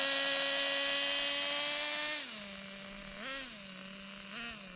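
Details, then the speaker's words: Traxxas Nitro 4-Tec RC nitro engine screaming, then pitch drops sharply as the two-speed clicks into second, after richening and tightening the shift screw; earlier no second gear, spring suspected missing. "so that shift did pretty good you can hear that really good"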